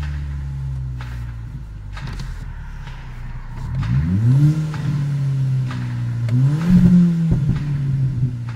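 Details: VW/Audi/Skoda/Seat TDI/FSI/TFSI engine, fully warmed up, revs climb then hit a ceiling and fall back with stumbling misfires, cutting out intermittently; no check engine light, codes P0321 and 000801, failing G28 crankshaft position sensor, replaced with Bosch.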